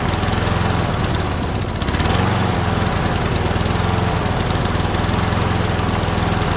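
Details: Craftsman push mower with crankcase oil way overfilled, smoking, oil in the muffler, suspected hydrolocked. Engine runs with an uneven, lumpy beat and a stumble early on; rough running from overfilled crankcase oil.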